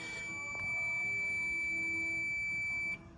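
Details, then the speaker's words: 1956 GMC Model 100 (NAPCO), initial timing with balancer at 5° before TDC on number one cylinder: steady high continuity tone holds about two seconds then cuts off sharply as points open; set distributor there. "all right see how it stops the noise when it stops the noise that's where I want to set the distributor okay that's where it connects that's where it breaks"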